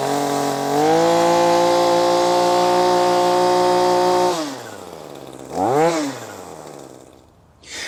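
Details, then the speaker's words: ECHO SRM-2620T two-stroke string trimmer on 50:1 mix, after cleaning its clogged spark arrestor (exhaust) screen; a high, steady buzz holds clean at full revs, then winds down and blips freely; full power restored. "so there you have it long care nation just a simple uh exhaust screen or spark arrester screen uh cleaning was all that was needed uh to get uh this echo srm 2620t restored back to full power"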